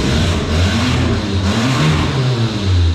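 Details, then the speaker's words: 2013 Fiat 500 Abarth MultiAir, 34,169 miles, wrecked front end, free revs: loud raw blatting roar with heavy low rumble, no muffling; exhaust leak from pipe sheared off up front. "exhaust is sheared off up front so a little bit of redneck camaro white trash sound but i kind of like it"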